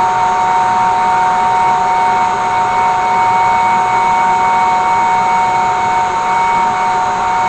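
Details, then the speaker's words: Hair-dryer blower run on a 24 V DC back-massager power supply with spliced on/off switch, taped to the blower pipe of a brake drum forge, runs with a constant high motor whine over an even rush of air, no rattle or speed wobble; normal healthy blower. "It's got a pretty nice stream of air. I'm hoping that's gonna work really good, because I mean, gosh, that's pretty cool what a little hair dryer can do."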